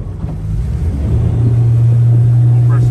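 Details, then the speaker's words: 2003 Malibu Sunsetter ski boat, about 20 years old, revved on the water in 16 ft depth, 13 volts, no thermostat fitted, good oil pressure; deep drone climbs smoothly, no misses, wind on mic, running perfectly. "everything's working don't be afraid of the 20 year old boat it still does the job sounds really good I think it's running just perfect"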